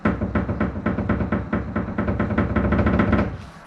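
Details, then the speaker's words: 1988 Mini Mayfair 998cc, rear radius arm rocked by hand: rapid hollow knocks, about five a second, from the pin slopping in a bronze bush that was worn or over-reamed during an earlier job. "this is what it sounds like when the bronze bush has worn out or if you've done the job before and did it wrong like i did you shouldn't get this noise"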